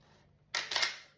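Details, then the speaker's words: Canon EOS 1N 35mm camera after repair of BC error from failing mirror activation magnets: crisp quick double snap of shutter and mirror, firing cleanly as it focuses; shutter working properly again after not working for ages. "Well, this old OE1N is now working. Sounds good, doesn't it? It does. See, it hasn't worked for ages. And it's nice to hear the uh shutter kicking off when it uh focuses in there."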